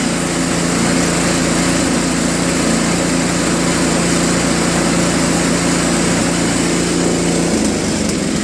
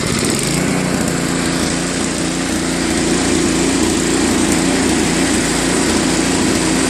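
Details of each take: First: Tecumseh Snow King 5.5 hp 195 cc snowblower engine, carb previously gummed from storage and cleaned: after adjusting idle screws at high and low throttle, steady even buzzing idle with no surging; surge fixed. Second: Tecumseh Snow King 5.5 hp 195 cc snowblower engine after carb cleaning; speed rises and falls slightly, still searching at low idle; misadjusted idle screw, fixed by adjusting idle screw at high and low throttle.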